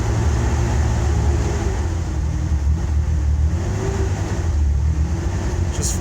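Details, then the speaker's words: 1994 Ford Ranger 4.0 L OHV, misfiring at all rpm. Starts easily, then a deep lumpy exhaust beat stumbles and hunts as throttle is fed; plugs run rich, fuel pressure normal, ignition suspected of cutting out. "starts easy missing misfiring smoothes out all over the place any help Thanks"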